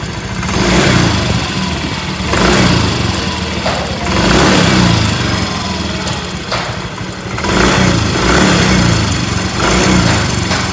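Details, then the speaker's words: Yamaha Mio M3 scooter once somewhat warm, revved in bursts: rough rattly ticking that grows louder as revs climb; barely heard when engine is cold. "suara kasar ya saat udah agak panas suara kasar ngelitik ya teman kita dengar dulu ya suaranya kasarnya seperti ini ya"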